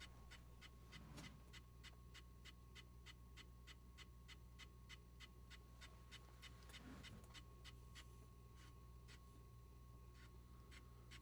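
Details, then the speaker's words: Leslie 147 rotating speaker cabinet motor switched on before maintenance; quiet hum with a light, regular scratchy tick about twice a second, scraping from a loose screw rubbing the fibre board inside the motor (O-ring rubbing also suspected). "Okay. So, we're getting that scraping."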